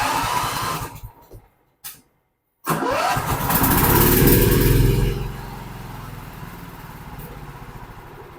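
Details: Dixon 4422 zero-turn mower brought in for turning the key and nothing happening; after working from battery back to starter solenoid and safety switches, a brief crank then the engine catches cleanly and runs steady and even, no misses or knocks.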